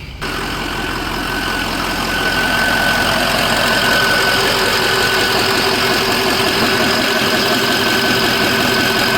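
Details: 2004 Ford F350 6.0 Power Stroke diesel after Sinister Diesel adjustable fuel block / blue spring upgrade, restarted: steady even clatter with clear turbo whistle, no stumbles; healthy idle.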